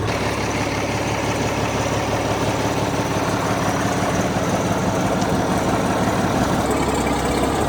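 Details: Old Case tractor after fixing a no-run caused by moisture in its very old distributor (dried out, points filed): even, steady chug on all cylinders, no misses or popping; idles smoothly and healthy.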